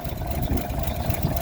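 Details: 1951 GMC Van Pelt fire engine, inline-six, on cold start after carb cleaner: low, steady, even idle rumble with no knocks or misses; running smoothly.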